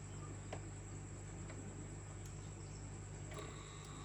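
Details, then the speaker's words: New Kandila Marlin AA-103 water pump (15 W, 2100 LPH, 2 m head), still with its factory lubricant: low, even hum with a faint steady whine and no knocks or rattles; runs quietly and smoothly. "Nah, tidak berisik, halus."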